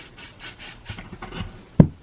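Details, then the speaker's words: Pistol slide recoil spring worked by hand before lubrication: short dry rasping squeak as the spring compresses and rubs; after spraying lube, no more squeak; dry coil spring squeak. "okay work it a couple more times yeah see no more squeak perfect"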